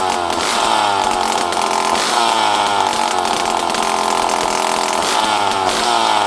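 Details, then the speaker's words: Poulan 5200 chainsaw, last run 5–6 years earlier, fired up again after reassembly. A steady high-pitched buzz holding even speed with no stumbling or surging; starts and runs well. Normal running. "This thing runs good, though. It starts good."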